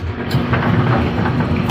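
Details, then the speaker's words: Brunswick A2 bowling pinsetter single-phase main motor powered up after clearing an obstruction during a turret indexing stop repair; low steady rumbling drone with no knocking or grinding, looks slightly slow but sounds fine, not running hot. "observe motor's running little [Music] slow doesn't sound [Music] bad I think it just looks slow"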